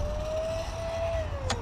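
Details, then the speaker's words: Traxxas Sledge RC truck after a bash with jumps; noises first suspected to be the rear diff. Motor whine holds steady, then sags in pitch as the drive goes unloaded: the pinion has come off the motor shaft. "Oh, and there's, oh, it's the pinion, guys, pinion's off."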